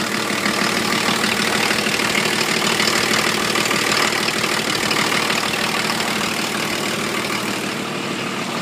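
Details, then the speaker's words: 1980 International Scout II with factory Nissan SD33T turbo diesel (Garrett T3), first run after engine rebuild, cold; hard loud clatter about three knocks a second, louder than others, owner unsure if the cam is the cause. "so uh that's what it sounds like it's pretty loud compared to some of the others that I've Just Seen on on YouTube"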